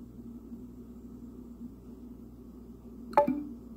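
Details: Google Home Mini smart speaker makes a short clink-like chirp about every 30 seconds daily between 3:30 and 4:30 am; voice interaction stops it, tapping does not; low room hum; intermittent strange noise.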